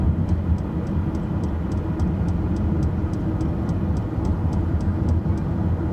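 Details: Light, even ticking rattle about three times a second over a low steady road rumble; something loose is rattling.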